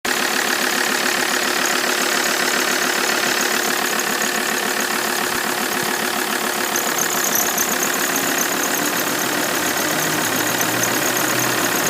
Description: My Alfa 159 started making a squeaking noise on the cold start up. The noise last about a minute after that it desapear.